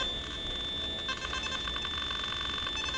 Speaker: this was the one problem many of us had hoped it would be resolved with this software update was the chatter between the simplex and the carrot obviously that didn't happen